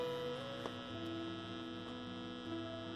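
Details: Constant low mains buzz with sharp overtones, barely changing as leads are unplugged, from SXM radio connected via 3.5 mm splitters to an Insignia sound bar with TV also connected; suspected interference or grounding buzz in the audio chain, not confirmed.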